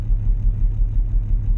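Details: 2015 Audi Q7 3.0 supercharged V6 with random misfire, fuel pressure reading in the 500s instead of 900–1,000, high-pressure fuel pump suspected: deep idle thump about six times a second, lumpy and uneven; rough idle.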